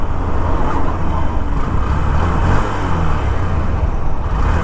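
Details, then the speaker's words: Honda SP 125 single-cylinder at 16,000 km, before service: steady, even low engine note with no knocks, ticks or rattles; engine sound unchanged from new, running smooth and healthy. "मतलब sound जो है ना बिल्कुल भी change नहीं हुआ"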